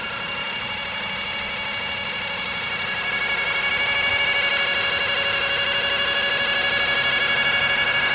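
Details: BMW E60 with N52 engine, fresh flush oil and old filter: fast, even, sharp ticking about three times a second at idle, absent when cold and louder as it warms, loudest at the oil filter housing, not pulleys or alternator; cause unclear.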